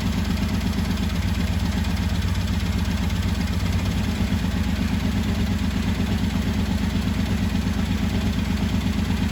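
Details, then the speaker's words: 1985 Honda VT1100 Shadow V-twin, revived after 25 years, just after the carbs were balanced. Deep, even thump holding a steady idle, both cylinders pulling evenly with no stumble. Normal idle after carb synchronization. "That'll work. You can see how important balancing is. V-twin, twin cylinder."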